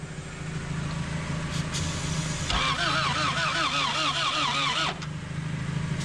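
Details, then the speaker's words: Abandoned Honda CRX with B18 engine, plugs cleaned, injectors disconnected, fed only starting fluid: slow uneven cranking stutters as it tries to catch, then drops away; it did start, but the alternator pulley is seized and burned the belts off. "all right so we got it started and I just found out that the alternator is completely seized up the pulley isn't going it did burn up the belts right off but we did it get it started"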